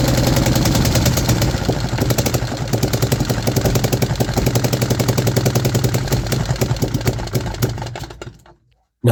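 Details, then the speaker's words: 3D-printed 125cc four-stroke engine running only on choke: ragged, uneven firing with slight throttle response, sagging and dying after about eight seconds, sounding like a dry clutch. The finding is an intake vacuum leak. "that was a more decent run. The main thing that I've noticed is that the engine only runs choke, and it actually sounds like a Ducati dry clutch somehow."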